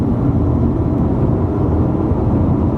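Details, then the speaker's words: Ford Falcon XR6 cruising at 60–100 km/h after the wheel bearing hub was replaced; even low road rumble with some tyre noise and a stainless exhaust, no growl rising with speed; wheel bearing noise gone. "that is a smooth and you gonna remember this thing has directly ties on so they are a little bit noisy but that wheel bearing noise it's all gone"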